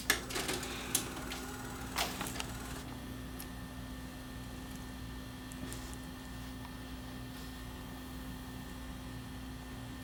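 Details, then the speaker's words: Panasonic PV4361 VCR, tape-eating fault: on power-up, quick mechanical clicks and whirring for about three seconds, then only a steady low hum as the deck shuts itself off after starting to play; cause unknown, owner wonders about a bad head. "It just shut off on its own. So that's what it does. You hit the power button and it just shuts off."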